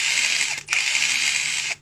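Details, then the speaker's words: Cordless impact wrench (electric wrench) with abnormal noise: harsh, rattling grind from the gearbox, not the motor rubbing its stator; on opening the head, a planetary gear is found missing a tooth, to be replaced. "这个声音呢是从齿轮箱出来的，不是电机滑膛。如果电机扫膛的话，它声音不是这样的。"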